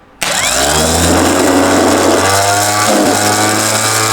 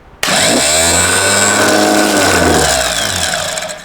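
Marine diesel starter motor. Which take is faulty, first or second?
first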